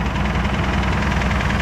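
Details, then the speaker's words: 1986 Jeep CJ7 drilling rig at rough cold idle: a steady, dull, rapid knock under the engine note. First thought to be a lifter, then suspected to be a light rod knock. Unconfirmed. "I'm hearing a little bit of engine noise yeah it sounds like say a lifter what no that's uh sounds like a little rod knock"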